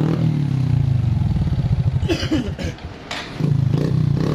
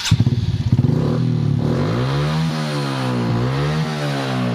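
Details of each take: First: Honda Supra X 125 engine misfiring (brebet) and lacking power, uneven stumbling single-cylinder beat that falters and dips midway; valve noise also present; spark plug already replaced and carburetor cleaned; cause retarded cam timing (cam top shifted). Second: Honda Supra X 125 single-cylinder after cam timing corrected (timing was retarded, top slipped, causing misfire and no power): revs up and down smoothly with even beat, valve tapping gone; engine now runs healthy.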